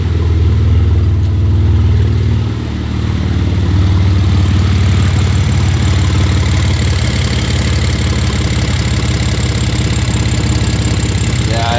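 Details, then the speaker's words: Misfiring E46 BMW starting up and idling: lumpy idle with an uneven stumble roughly every half second as one cylinder intermittently misfires; owner plans to replace injectors and idle air control valve, cause unconfirmed; coolant leak also present. "Let's start this thing up. You can really hear the misfire now."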